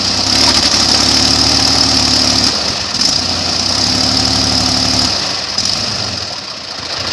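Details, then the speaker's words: Airboat engine on first prop test for pitch (over 3000–3200 rpm is too much); revs rise and drop raggedly, cutting in and out under prop load; blades suspected pitched too much, carburetor choke questioned. "you don't think the blades are pitched too much oh you can hear it's breaking up"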